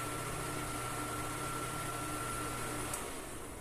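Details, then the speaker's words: Arno Turbo Silence Force 40cm fan after repair of shaft end play and a screw set too deep that hit the blade; running strong with a soft even hum and faint steady tone, no rubbing or rattle; noise gone. "Vamos lá. Bem forte. Vendo que saiu todo o barulho."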